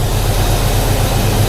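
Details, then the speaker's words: 1991 Ford Foxbody Mustang 5.0 LX V8 ("Red Chief"), cold start in the 30s °F after winter storage since October with a dead battery swapped out; deep, steady rumble with even lope, no knocks or ticks, healthy cold idle warming up. "man that 5.0 listen to that thing butter"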